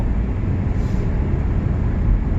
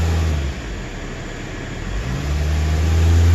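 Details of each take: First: 2010 Toyota Corolla S with pending P0304 cylinder 4 misfire code, at full throttle after restarting: deep, even engine drone pulling hard with no stumble; the intermittent misfire isn't showing right now. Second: 2010 Toyota Corolla S at idle with pending P0304 cylinder 4 misfire code: thumping idle about four beats a second with occasional uneven dips; intermittent misfire, traced on scope, cause not confirmed.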